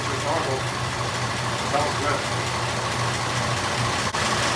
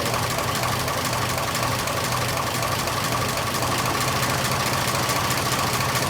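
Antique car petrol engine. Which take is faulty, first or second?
second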